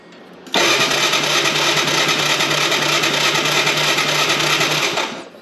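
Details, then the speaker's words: 1985 Yamaha Moto 4 ATV on jumper pack, electric start, about 80–84 psi compression, carb cleaner sprayed: steady loud whirring crank about three pulses a second that never fires; top end suspected worn. "got the jumper pack hooked up to it since the starter works and uh just for shits and giggles let's see if it will pop on some carburetor cleaner nothing"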